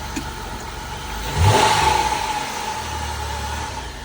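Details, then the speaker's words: 2006 Dodge Caravan, 3.8 V6, started right up with a jump: steady idle, then one quick throttle blip that climbs cleanly and drops back smoothly. Engine sounds healthy. "Sounds pretty good. Has the V6 in it, 3.8 V6."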